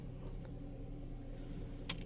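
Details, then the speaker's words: 2024 Ford Kuga: single sharp clicks over a quiet cabin hum when the steering wheel is turned left and right, vanishing when the wheel is lowered; intermittent steering column click, owner suspects internal parts touching, unconfirmed. "direksiyonu sağa ve sola çevirdiğim zaman böyle bazen çıt çıt ses geliyor ama direksiyonu aşağıya aldığım zaman o ses kayboluyor."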